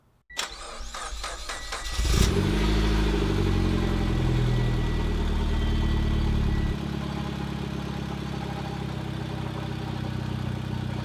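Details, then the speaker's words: Mitsubishi Lancer EVO X after an engine reinstall and reconnection, jump-started under the hood. Quick crank, then it catches, flares and settles into a steady, even idle with no knocks or misses. Normal start and idle. "It's alive! It's alive! This is a moment that I've been waiting for so long. The EVO is finally alive again."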